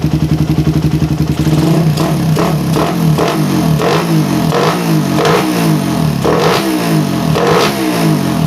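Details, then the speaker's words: Suzuki Satria FU with PE 28 carburettor after head nozzle change, air screw at 1.5 turns: lumpy stable low idle, then blips climbing and falling cleanly; earlier low-to-mid-rpm hesitation gone; clean revving. "nah Untuk idle karena saya setting di sat setengah itu udah otomatis idalnya lebih stabil ya lebih rendah dan stabil kayak gini guys ya"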